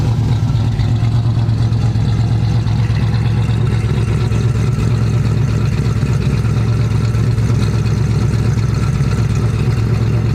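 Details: Nova with basically stock-bottom Chevy 350, Vortec heads, LS6 springs, Comp retainers, Comp 280 Magnum cam (.230 @.050, .480 lift), after cam swap: deep loping idle with steady lumpy big-cam beat, even and strong; engine healthy.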